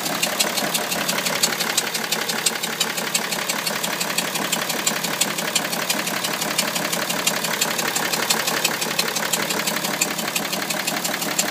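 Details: BMW E60 530d diesel with engine judder and rough, lumpy idle, sharp clattery knock; possible misfire suspected, MAF and fuel checked OK, awaiting diagnostics.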